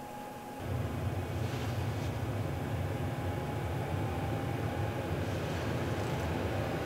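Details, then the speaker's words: Diesel heater in a skoolie bus, newly fed from tapped fuel tank: fan, then glow plug, then fuel feed; steady low roar with faint even whistle builds and holds smoothly as it lights and runs normally. "then it starts feeding fuel into the tank and or into the combustion chamber and then as it heats up the fan will speed up and you'll hear it barely"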